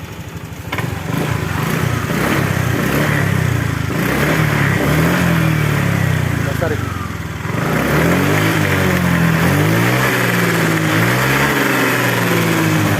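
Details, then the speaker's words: Honda Vario 125 after ECU reset via DLC socket: engine blips up and settles back smoothly, revs rising and falling cleanly without bogging; healthy throttle response. "kita lepas lagi di soket dlc-nya teman-teman ya setelah direset ya dijamin motor akan lebih stabil gasnya lebih enak"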